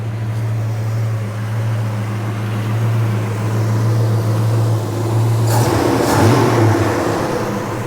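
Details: 1977 Chevy Nova Concours V8 after replacing a smashed, leaking carburetor-to-intake gasket, new plugs, wires, cap and rotor, and carb adjustment: even low burble holding steady idle, no hiss or hunting; normal idle.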